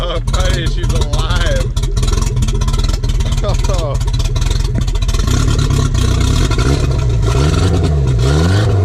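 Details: Volvo Penta AQ151C marine engine, first start in 10+ years on fresh gas: loud, deep, even rumble with throttle blips, no knocking or misfire, strong steady firing; healthy running.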